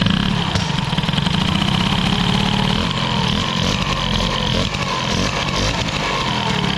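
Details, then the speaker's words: Peugeot 103 moped with air-cooled Airsal 65 hybrid engine, old reused rebalanced Doppler crankshaft, carb suspected too rich with no jet fitted; revved two-stroke buzz with dull rumble underneath, owner dislikes it, suspects worn bottom-end bearing, unconfirmed. "il y a un bruit que j'aime pas en Dieu un bruit de roulement il faut savoir que j'ai mis un vieux vilebrequin là-dedans qu'avait déjà roulé"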